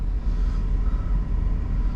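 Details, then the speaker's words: Warm idle of a 2009 GMC Yukon 5.3 LS V8 after oil pump replacement for low oil pressure, run about 15 minutes: 40 psi oil pressure, just under 210°F water, over 14 volts; deep steady rumble with no ticking or knocking, healthy. "all right well here we are runs good and turn the fan speed down"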